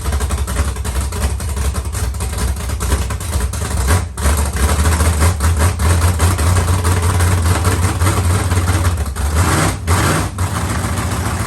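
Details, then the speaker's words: Carbureted LS7 with Stage 3 cam and heads in a 1971 Camaro at first fire, with no coolant circulating. Deep V8 idle with an uneven, choppy cam lope, otherwise smooth and strong. Healthy aggressive-cam idle. "so here you guys go we have ls7 you can kind of hear the cam chop in there a little bit"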